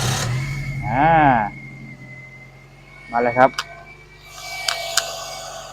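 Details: Toyota Vios that stalled en route and would not start: engine catches and settles into a steady, even low hum with no misses or knocks; normal idle.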